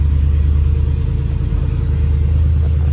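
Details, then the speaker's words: Ford 390 FE V8 station wagon with new stainless Black Widow exhaust, heard inside the cab with windows up at about 2500 rpm high idle, stationary; low steady rumble, soft hum, no drone. Normal exhaust note at high idle. "I'm talking a little bit below my normal speaking volume and I mean you hear that it's there but it's not that's 2500 RPM that's 2500 rpm and I'm just talking so I'm going to say for an exhaust that sounds aggressive like that but I could whisper in here it's pretty good oh and that was even on high idle"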